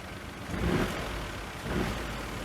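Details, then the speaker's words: Citroen DS3 salvage car with a bent, collapsed engine mount being pushed off, before mount replacement: low rumbling engine note swelling with each throttle blip, the vibration noise heard inside the cabin. "this one is being pushed off so this one should start all that vibration noise inside which I probably start up and let you hear it and then we'll do a comparison afterwards foreign like a rumbling noise and as you go up here"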